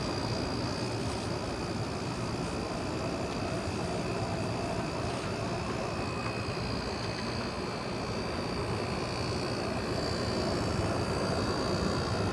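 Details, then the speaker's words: 2009 GE AEW05LMS2 5200 BTU window air conditioner, compressor kicking on in cool mode with fan on low; even low hum, faint steady whine, smooth airflow, no knocks; normal compressor running, draws about 4.2 amps as head pressure builds. "That is a cool sounding compressor. This unit when the head pressure builds this thing can draw around 4.2 amps."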